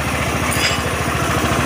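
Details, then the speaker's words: Honda Beat FI scooter after replacing kick-start parts and starter with rough noise: electric start is smooth, small single-cylinder putts at a quick, even beat with no knocks or misses; normal running. "Nah dan mesinnya halus ya starternya halus di sini ulang lagi oke"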